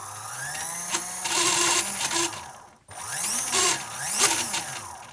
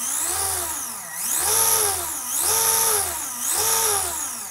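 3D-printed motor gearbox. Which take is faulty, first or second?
first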